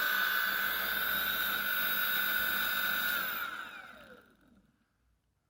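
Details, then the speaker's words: Geared hub motor after replacing rotor tip and pinion gear bearings (rotor base bearing left in), first bench test: steady whine with lower growl beneath, then smooth spin-down; abnormal low-pitched noise, cause unclear. "it doesn't sound quite like it did the other time it's kind of a lower frequency noise in there now"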